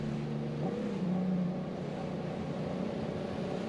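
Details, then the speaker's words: 150 hp Evinrude E-Tec two-stroke outboard on a 2001 Maritime skiff, before decarbonizing with Yamalube Ring Free: it labours with a dull, uneven drone that won't rise under throttle. Carbon-fouled and bogging, versus taking right off afterwards. "you can just hear it struggling compared to that other where I just took right off"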